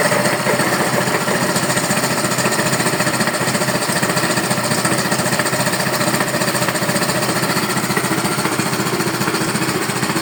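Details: Neo 125 scooter engine making noise: steady fast hammering about two knocks a second over a buzzy small engine at constant speed; mechanical knock of unknown cause.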